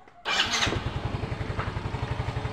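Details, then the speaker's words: Yamaha Mio M3 that would not start on the electric starter but did on the kick starter, after replacing a part with a new one: brief starter whir, starts on first press, settles to an even idle. "sekali pencet sudah hidup untuk mesinnya dikarenakan knya sudah kita lakukan penggantian dengan yang baru ya"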